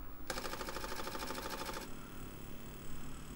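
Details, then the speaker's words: Apple II Disk II floppy drive that had made a horrible sound, after teardown and removal of rusted metal bits (loose spindle, belt not running true): brief even head chatter, then a quiet smooth whir; sounds much better, normal running. "it already sounds much better."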